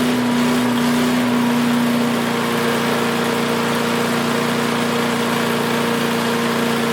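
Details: Craftsman 5 hp wood chipper single-cylinder, revived after sitting 3 years jammed: steady, even drone at constant pitch, no misses or surging; initial smoke, likely WD-40 or PB Blaster, cleared and exhaust ran clean. Running smooth.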